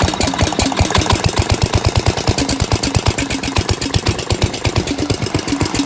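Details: Briggs & Stratton 16 HP with an aftermarket Chinese carburetor on a Gravely 816S, started after sitting about a month, on a rigged ignition: a crisp, even single-cylinder putter. A clean, healthy idle.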